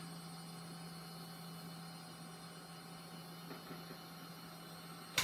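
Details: Silicon Graphics Fuel computer powered on with its large graphics card installed (it won't power at all without it): steady fan whir, constant low hum, no drive or beep activity; blinking white then red power light, never passes power-on self-test.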